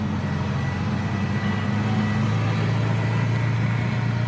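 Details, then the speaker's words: Jaguar MK2 with original 4-speed Moss gearbox, driving away from stone cold on cold-start carburettors: engine pulls smoothly over a soft, even whine holding its pitch; normal healthy original gearbox whine. "It's got the original 4-speed Moss box on it, and you can always tell these, they give a really nice sort of gentle whining noise when you drive away in them."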